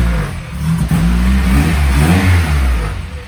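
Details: Honda K20A2 Type S swapped into EK Civic, first start after fixing a mix-up and rotten fuel line: catches cleanly, revs up and down smoothly with even steady note, no knocks; normal start.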